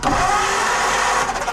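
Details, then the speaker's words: 1949 Ford farm-find V8 compression check by finger: steady fast cranking with even whir and no catching; cylinders 2 and 3 dead, 7 struggling, only three with compression, head to be pulled. "so we got one and four have compression two and three are completely liberal not doing a thing to contribute"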